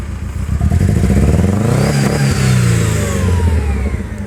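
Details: 1999 Mercedes-Benz C230 Kompressor four-cylinder petrol revving up and down with a lumpy uneven beat: cylinder four misfire.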